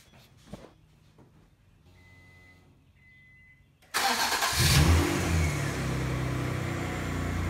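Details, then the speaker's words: 1988 Acura Legend 2.7L V6, first start after new timing belt, water pump, thermostat and NGK plugs: dash chimes, quick start, brief rev, then smooth even idle with no knocks or ticks; runs well, coolant still needs air bled. "premier démarrage et elle fonctionne parfaitement j'ai encore besoin de roter de l'air de l' homme du liquide de refroidissement ça sonne bien"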